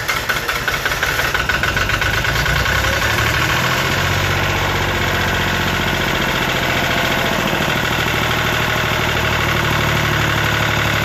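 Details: Lister ST3 three-cylinder air-cooled diesel on an old sewer jetter, started using the decompression system and electric kill pump: cranks briefly, then catches into a steady, even chugging idle with no knocks or misses; healthy cold start.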